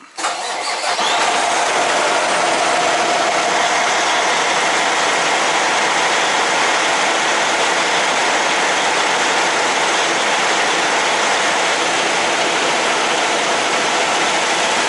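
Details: Semi truck diesel ("Big Blue") after oil change and filter change, with fuel filter primed: quick crank, fires at once and holds a steady, even idle with no misfire or stumble; healthy start.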